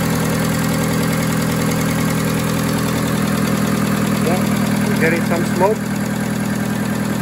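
Even, settled idle with a steady low hum and no miss, tick or rattle; engine is running healthy after the restart.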